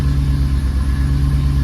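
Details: 2014 Ford Raptor V8 idling after oil change refill, circulating oil before top-off: deep steady rumble, even beat, no ticks or knocks; normal smooth idle.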